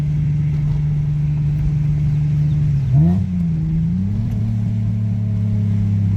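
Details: 2006 Hyundai Tiburon 2.7 V6 five-speed, misfiring after engine wash; water in the spark plug wells, reassembled. Road test after fix: smooth even drone, clean rev change through the shift, no stumbling; no misfire.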